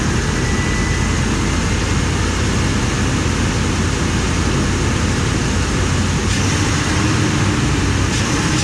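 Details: 2004 Ford Explorer 4.6L V8 running after repairing a blown-out spark plug hole with a Triton thread insert: steady, even engine hum with no misfire, ticking or puffing from the plug hole; repair holds, normal running.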